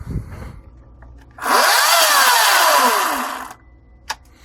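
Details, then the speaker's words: Echo 58V chainsaw on a CBP-58V40 Li-Ion pack charged outside the charger, reading full at 57.6 V: saw spins up to a whine, holds about two seconds, then winds down and stops; pack lockout cuts power. "you can see it just runs for a second and stops."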